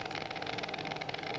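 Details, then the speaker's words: MIG (GMAW) welding carbon-manganese steel with voltage raised: irregular ragged crackle with uneven pops instead of a smooth frying buzz, some short-circuiting still present but globules forming on the wire end and crossing in free flight, i.e. globular transfer. "okay so you can still hear that short serve team that the gasoline taking place but it was also the globules were forming on the end of the wiring coming across in free transfer"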